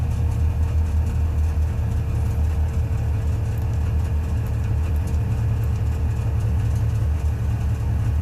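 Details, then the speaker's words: Subaru 360 van two-stroke, just started with choke after flooding: a fast, even idle buzz that is slow to come down, around 2,000 rpm. Idle is set too high, and the carburetor needs adjustment. "oh much better throttle response now the idle's probably way too high because it was flooding over let's back it out let's see how she runs oh that's not okay or something stuck here should come down"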